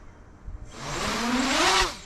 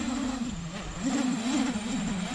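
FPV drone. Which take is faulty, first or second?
second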